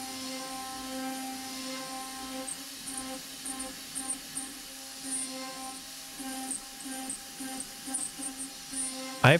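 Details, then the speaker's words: Avid CNC Benchtop Pro with 2.2kW S30C spindle at 15,000 rpm cutting A36 mild steel, 100 in/min feed, 0.03 stepover: steady spindle hum, even cutting hiss, chip ticks, no chatter; normal healthy cut. "It's cruising along a nice rate it doesn't sound chattery, the spindle sounds good, it's making nice chips."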